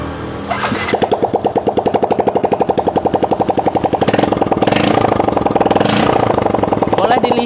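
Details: Yamaha Mio J scooter after a repair for white exhaust smoke: a quick, even putter at idle with steady beats and no misses. No more smoke from the exhaust and the engine runs dry and smooth; normal idle.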